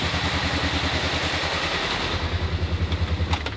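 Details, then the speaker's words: Supercharged Mini Cooper S started for the first time in 3 years after a coolant refill, freshly started petrol engine idling very lumpy with an uneven loping pulse of three or four beats a second; engine light on, owner suspects something left unplugged; rough idle. "We're running very lumpy. Yeah, we're running very lumpy."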